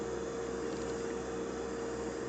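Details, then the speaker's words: Hummer H2 fuel pump assembly running on the bench at a higher pressure regulator setting with rising current: steady, even electric hum with one mid-pitched tone and no rattle. The Venturi refills the reservoir; operation is normal. "so that's quite quite a spectacular operation of your fuel pump you can see that we're then the Venturi is feeding fluid back into the reservoir filling it up and it's just nicely recycling"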